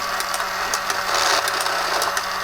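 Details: Tomy Super Cup electric football game after repair (no power reached the motor; cleaned of hair and regreased): loud buzzing whir with irregular sharp clicks from corner flippers moving; normal running.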